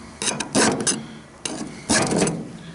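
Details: File test on a rollback clutch hub: bursts of rough rasping strokes as the file bites deep; metal suspected soft, Rockwell hardness test pending to confirm.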